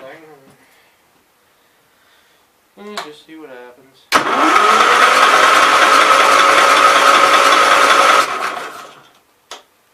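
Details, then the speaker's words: 1968 Gravely 430 engine cranks about four seconds with steady even churning and faint whine but never fires; owner suspects bad stator/trigger, spark plug wire found grounded against head; plans conversion to points, condenser and battery coil. "fairly certain some part of the stator field I mean this trigger might be bad"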